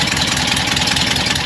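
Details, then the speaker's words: Porsche 912 air-cooled engine at idle, just taken over from another shop: fast, sharp ticking puffs steady with each firing pulse, exhaust leaking at the muffler/tailpipe flange bolt hole, more leaks nearby; exhaust leak tick. "These little flange areas have a tendency to stick themselves underneath the muffler, the tail pipe. Yeah, that one's leaking out the bolt hole."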